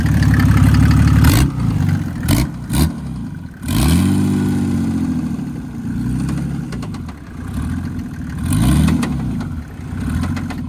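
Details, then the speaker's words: 1984 Mercedes 190D drag car with a built 1998 OM606 turbodiesel, restarted after a knock began on the last full pull: the engine fires, revs and dies unevenly with heavy deep thuds. Suspected blown bottom end. "That's bottom end. That's bottom end. It's blown. That's bottom end."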